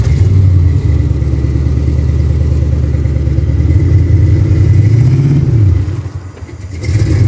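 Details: Ford Fox body Mustang after fitting a new Motorcraft starter solenoid: starts and runs with a deep, steady rumble and a brief blip and dip, no starter grind or misfire; normal running.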